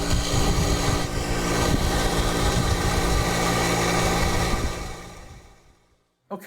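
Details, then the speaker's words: Irrigation well pump motor after replacing the start capacitor (new capacitor measured 127, spec 108–130): smooth, even motor drone with steady fast pulse, no buzzing or straining, clean spin-down; normal running after repair. "I feel I got lucky on this repair. The capacitor was less than $20 and it was a relatively easy fix."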